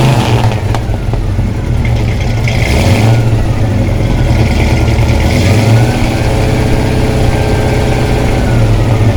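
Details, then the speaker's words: 1972 Plymouth Satellite 318 V8 with brand-new flat-tappet cam and zinc additive, warmed to operating temperature, blipped: deep even burble rising and falling cleanly with throttle, no ticking or knocking; normal healthy revving. "let's go ahead and see what this thing sounds like when she uh she sings a little bit"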